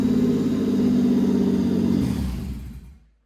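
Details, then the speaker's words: Pontiac Fiero with swapped GM 3800 engine, first start before coolant fill; smooth, even rev for two seconds, then shuts off and winds down cleanly without misses or knocks. Normal running. "So, now that the car runs, which is awesome, I am going to fill it up with coolant now."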